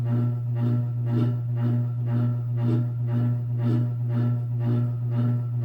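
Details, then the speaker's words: Antique Century closed-top 60-inch ceiling fan, late 1910s–early 1920s, on high: heavy deep mains-like drone pulsing about twice a second; owner's loudest fan, unsure if a winding issue or vibration/loose parts; loud droning hum. "So this is the loudest fan. Out of all the ceiling fans I own, this is the heaviest, the biggest, the oldest, the most powerful, and the loudest."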